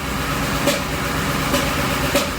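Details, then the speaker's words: 2007 Ford Expedition 5.4L 3-valve V8 at idle, mic at top of engine: rough idle with rhythmic popping about once a second, no codes stored; cylinder three always down on power with each pop, cause unknown (ignition, compression or other). "every time I hear a pop this comes down and it loses power so cylinder number three is always down on power there's something going on with that cylinder"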